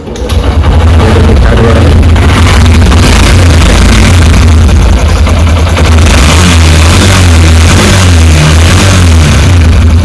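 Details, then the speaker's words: Honda SP125 BS6 single-cylinder motorcycle that had a bad engine noise (rocker sound), after the intake and exhaust tappets were set and everything adjusted. Loud, steady, even idle thrum with no ticking or clatter: the sound is now sweet, a normal idle. "सुन सकते sound कितना मीठा हो गया"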